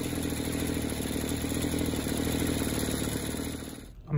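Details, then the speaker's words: Burnt-up two-stroke engine running buzzy, with a fast rattling knock through the idle, then cutting out. Play in the wrist pin bearing causes the knock; later no compression. Wrist pin bearing knock. "i'm taking the piston and literally twisting it and i can feel the play in the wrist pin bearing and that's where the knocks coming from"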